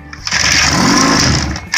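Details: 1991 Johnson 6hp outboard on a bench test after a water pump/impeller replacement and tune-up, in neutral, no fuel line: quick buzzy two-stroke popping catches for about 1.5 seconds on starting fluid, then cuts out. Compression seems fine.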